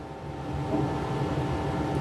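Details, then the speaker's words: IYV ILS250SB LP Special-style guitar with P90 pickups, number 2 with tulip tuners: steady low 60-cycle hum with faint overtones through the amp on one pickup; buzz disappears with both pickups on, apparently hum-canceling. "that 6 cycle hum going on."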